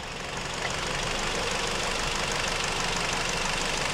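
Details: 2007 Hyundai Sonata; sudden loud rattling and chattering over idle at about three to four beats a second, source not apparent, comes and goes; alternator found to be the cause after removing the belt, burning-wiring smell; replaced alternator and belt fixed it.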